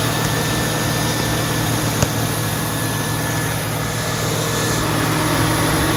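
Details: 2002 Mustang GT after radiator fan replacement (Dorman 620-139), idling with AC on: steady, even cooling-fan whoosh over a smooth idle, no ticking or rattle; earlier broken-fan-blade noise gone, fan normal.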